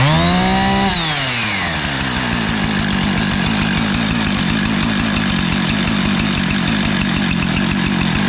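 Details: Husqvarna 455 Rancher chainsaw after carburetor and fuel line repair, new NGK BPMR7A spark plug and cleaned air filter; sat for years only idling and dying on throttle; now screams to high revs then drops cleanly to steady burble, healthy.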